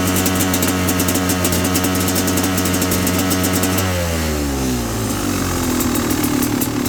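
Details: 2017 XT two-stroke (38/162/NECW3 jetting, sea level, about 60°F) misfiring and stuttering at steady throttle, with uneven popping and stumbling, revs sagging and recovering; also surges when riding, sometimes with faint cylinder knocking.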